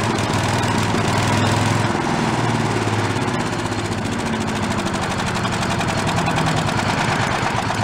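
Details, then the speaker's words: Late-1970s/early-1980s Giant Vac walk-behind leaf blower, single-cylinder engine: idle rises and sags instead of holding steady; carburettor has no working idle circuit, no fuel at idle. "so it doesn't have an idle circuit that means when it goes down to an idle there's nothing there there's no fuel going through here"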